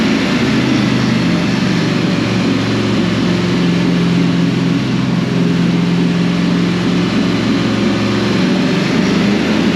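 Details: 2005 Dodge Ram 1500 4x4 with a swapped donor Hemi V8 and new fuel pump, started on ether: loud, uneven idle with a lumpy, stumbling beat, missing on one or two cylinders; injectors suspected, not confirmed.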